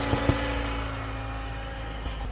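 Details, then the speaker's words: Toyota Highlander 2.7L start-up: a few sharp knocks then steady engine hum, intake cam phaser (VVT actuator) rattle; Toyota parts ready for the repair. "So hopefully you heard that noise. That's the cam intake cam actuator, the whatever you call it."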